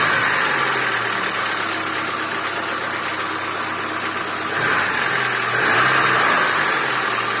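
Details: Niva petrol engine at idle: loose, somewhat uneven tapping about three per second under a hiss; engine knock of unknown cause.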